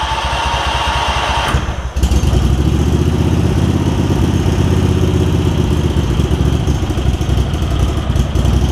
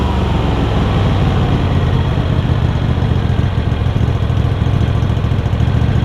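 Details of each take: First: Craftsman garden tractor with Kohler CV20 twin, before carburetor clean, just after fitting a new metal ignition switch: starts, then runs with an uneven, wavering beat and dips in speed instead of a steady idle; rough running from a really gummed-up carburetor. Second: Craftsman garden tractor Kohler CV20 V-twin, pre-warmed, after carb clean and idle adjustment, started without choke: steady even idle thrum, no misses, knocks or surging; idles cleanly.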